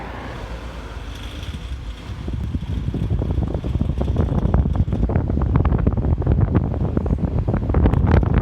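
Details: Car gurgling noise going on for about a year, cause unknown, passed state inspection with no other issues; uneven bubbling pops about four a second over a low rumble, with wind on the microphone.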